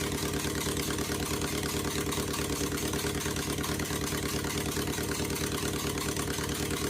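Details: 2001 Honda Civic LX, D17A1 engine, with new injectors and coils, header disconnected, cold and idling at the right RPM. Loud, raw, choppy, uneven idle that sags as if it wants to stall. The owner suspects the timing is off, unconfirmed.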